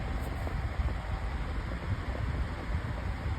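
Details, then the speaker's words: Lasko 18-inch oscillating table fan fitted with a new replacement blade, running on high speed: quiet, even rush of air with low steady hum, no ticking or rubbing, strong breeze; normal running. "and that's actually whipping out a pretty good breeze, not going to lie."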